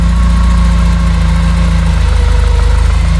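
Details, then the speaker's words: 1988 Porsche 944 race car, sat for months, dead battery being charged after a jump start: deep, smooth, even four-cylinder idle with no ticking or stumbling; runs good, idles good, normal idle. "runs good, idles good. Right now it's got a dead battery, so I'm charging it because it's been sitting for a while."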